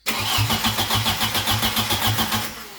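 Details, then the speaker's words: Crank no start after reassembly: starter turns the engine briskly for over two seconds but it never catches and the RPM gauge doesn't move; crank position sensor suspected unplugged or its wiring damaged. "Alright, so we were going to crank it and RPMs weren't moving at all. So I'm thinking I forgot to plug in the crank position sensor, or the wire or something got junked up somehow."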